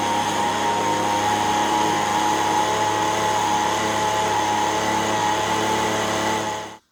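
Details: Echo ES-210 handheld two-stroke leaf blower, about 15–20 years old, test run after repair of RPM surging, choke on, full throttle: steady high howl, even pitch, no hunting or surging until shutdown; later measured about 7,100 RPM.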